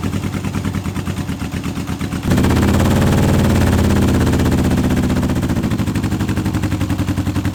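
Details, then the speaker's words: Old Honda CB750 K-series, first start in years on unleaded after fuel blockage: lumpy, uneven popping idle with a hollow beat that jumps when revved; seems to run only on two cylinders though numbers 1 and 4 both work, cause unconfirmed. "It seems to only be running on the 2 cylinders on this side, which is surprising because if 2 cylinders weren't running I'd have thought it'd be the coil."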